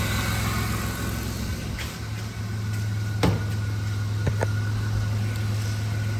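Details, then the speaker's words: 2000 Chrysler Town & Country 3.3L, idling after replacing a serpentine belt tensioner: smooth low hum with no belt chirp or squeal; noise gone. "so we got her all taken care of noise is gone"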